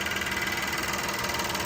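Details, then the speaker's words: 2013 VW CC 3.6 direct-injection engine, freshly rebuilt, just after first start with WD-40 burning off: even, settled idle with light quick injector tick over smooth hum, no knocks or misses; healthy, purring. "Oh, she's purring. Yeah, come on. Let's let all that burn off of there."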